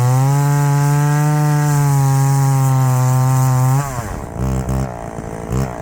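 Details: Chainsaw cutting: a strong, steady high-pitched howl that holds its revs in the cut, then drops off cleanly. The saw pulls well under load.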